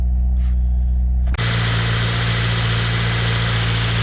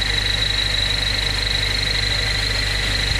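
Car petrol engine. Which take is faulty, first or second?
second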